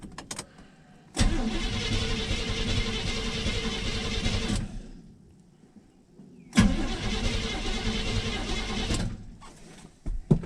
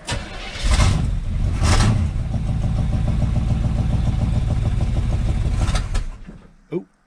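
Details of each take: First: 1983 Chevrolet C-20 first start attempt in about 7 years on a battery borrowed from an '82: two long, sluggish cranking bursts with a labouring starter and dragging rhythm, no catch; the battery is getting weak. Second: 1983 Chevy C-20 with 350 V8, first start in about 7 years on a borrowed battery, fan shroud missing: cranks briefly and fires at once, steady even idle, no misfire; fluid leaking from a pinhole; normal start and idle.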